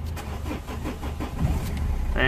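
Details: 2005 Renault Modus 1.5 dCi (K9K) after fixing no-crank/module communication faults and correcting engine configuration: short cranking, catches cleanly at about two seconds, settles to steady even idle with no faults; normal engine start.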